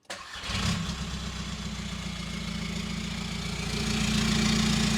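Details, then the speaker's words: VW T5 Transporter diesel, 287k miles, started out of gear with the old exhaust cut off and running straight-piped: brief crank, then a fast, even diesel clatter with a raw, unmuffled drone; straight-piped exhaust. "tell you what shut it let's start it up and see what it sound like as uh straight piped"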